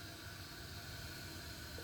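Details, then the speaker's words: Glacier Bay dual flush toilet, water turned on for the first time after installing a new Fluidmaster 400AH fill valve (the old one ran constantly): a steady, soft hiss with no squeal or chatter. A quiet, normal refill. "Okay, let's turn the water on. Now that's quiet. As it starts to fill, let's see what happens."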